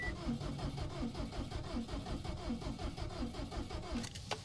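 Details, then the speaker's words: Subaru WRX/STI with suspected damage from excessive boost, cranked with the gas pedal held down so it won't start: steady cranking at about 80 beats a minute with uneven pulses; cylinder 4 suspected low compression, not yet verified. "hear that it's kind of a telltale sign that one of the cylinders is a little bit low on compression that uneven cranking"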